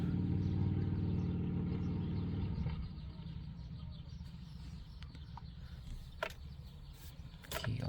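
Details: 2014 Chevrolet Silverado after fuel system contaminated with DEF and codes cleared: engine running with firm even beat, settling into quieter steady idle, no stumble; healthy.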